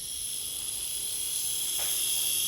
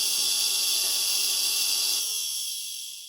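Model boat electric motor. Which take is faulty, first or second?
second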